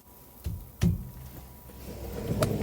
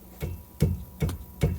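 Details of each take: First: Ford EcoSport rear stabilizer bar end link struck: a few dull, solid thuds with no loose rattle, so this link sounds fine; the rear rattle over bumps is suspected to come from the end links, which are to be replaced. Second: Ford EcoSport, rear stabilizer bar end link struck by hand: four dull, low knocks about 0.4 seconds apart; owner suspects worn end links cause rear clunking over bumps and replaces them.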